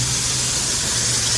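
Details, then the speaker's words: AMC/Jeep 258 4.2L inline-six, just restarted after swapping the plastic valve cover for an aluminum one; idle with a steady high hissing squeal. Suspected vacuum leak, or possibly just a very heavy cam, not confirmed. "it already sounds different oh vacuum leak I can hear it what the hell of a vacuum leak"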